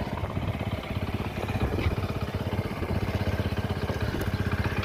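Steady clattering beat at about four per second over the idle, loud and tinny; worn engine internals, cause not confirmed.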